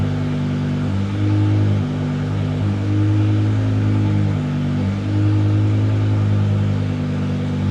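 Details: 2006 BMW M5 E60 S85 V10, replacement engine, idling during the clutch relearn for a new clutch: loud open-pipe sound, smooth and even with a steady low rumble, no knocks or misses; engine healthy.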